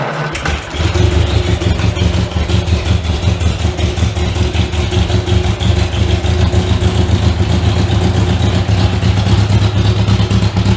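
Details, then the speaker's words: Riley Brooklands replica with newly built Austin Brooklands-style silencer: engine catches into a loud, deep, raw idle rumble with sharp pulses; owner suspects silencer inlet pipe doesn't extend inside as the specs require; loud exhaust. "So that's kind of what it sounds like. It's pretty loud."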